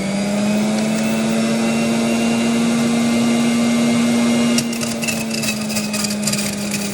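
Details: Juicer motor hum, then sharp irregular crackling and rattling as cherries with pits still in them are ground up inside the machine while juicing.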